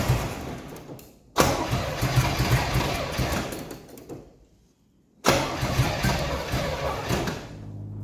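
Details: 1982 Pontiac Firebird Trans Am 305 V8, not run since 2012 and earlier rebuilt on a bent crank, cranks in two long, steady bursts. It sounds tight and never catches.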